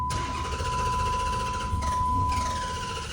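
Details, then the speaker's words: Dodge Challenger, crank-no-start; the owner suspected water in the trunk. During a relay and fuel pump test the starter spins the engine steadily for a few seconds but it never catches, with no fuel delivered. Traced to the fuel pump relay inside the fuse box. "so what this is GNA do this is going to let us know our relay is good and our fuel pump you know if it's working so here you go we're going to go ahead turn this on I didn't see nothing let's crank it over"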